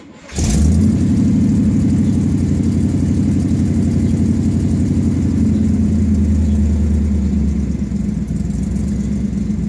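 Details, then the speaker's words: Sniper EFI fuel-injected engine, cold start: fires instantly to a steady raised fast idle that eases down slightly as the system finds its parameters; normal cold start. "It's idling down now that it's found its parameters for the monitor."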